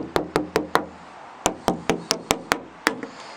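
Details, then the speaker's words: Knuckle taps on a body panel and fender flare where Line-X liner was removed and the paint is sanded down: about ten sharp taps, mostly solid metal with some slightly duller spots, possibly filler under the paint. "so you can see it's nice solid metal it's a little deeper sounding because the LX you know Linx has been taken off on the fender flare and on the outside here"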